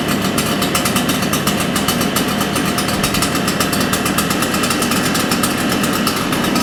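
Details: Shindaiwa EB802RT backpack blower two-stroke after carburetor work, previously dying on acceleration: fast, even buzz with steady firing, no stumbling; acceleration problem solved, runs clean.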